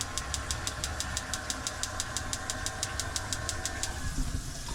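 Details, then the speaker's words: Boat's water heater with the hot tap on: steady sharp ticking about three times a second over a low hum, the igniter sparking while trying to light the burner; it often needs many tries and stops clicking after a while. "these ones, what you have to do is turn the hot tap on. It should start ticking."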